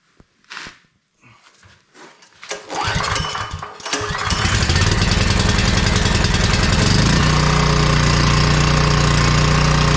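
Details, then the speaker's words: Powerstroke generator, came in crank no start, after carburetor cleaning, choked: a few sputtering pulls, then catches and settles into a steady even fast drone; no fuel leaks, runs normally. "all right so she runs awesome no leaks under it no gas under it so that's good"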